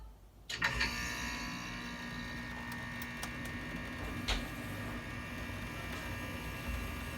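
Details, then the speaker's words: Payne air conditioner indoor air handler in closet, started by setting thermostat to 75 for cooling: click, then blower rises to steady, even hum with faint low drone; normal startup. "whoa so this is what it sounds like when it turns on"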